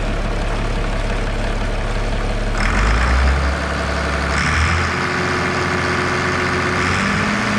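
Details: Diesel tractor (AC 7050 or 7320) after resealing a leaking rubber O-ring bushing on a tube: a deep, steady idle rumble with no hissing or sucking from the intake. The seal is holding.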